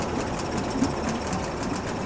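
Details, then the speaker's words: Two-stroke Yamaha 5 outboard, motor No. 3 of three, idling with cooling water running normally before gear is engaged. Steady rapid buzzy patter with water splashing, even and unbroken; all three motors working well. "Turn the gear on. Well, all 3 motors are working well."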